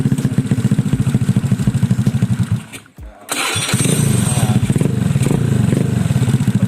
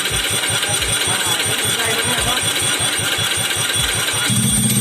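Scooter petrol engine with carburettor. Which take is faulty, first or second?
second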